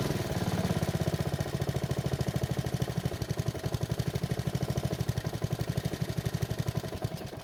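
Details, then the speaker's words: Honda walk-behind mower, old gas, fouled plug, test run with dirty air filter removed; hard to start, black smoke gone, single-cylinder thumps at fast even beat wavering in strength now and then, still running a bit rough. "it was still difficult to start, but once it did, it didn't blow any black smoke out of the muffler, so it looks like we took care of that issue for the most part. However, it's still running a bit rough."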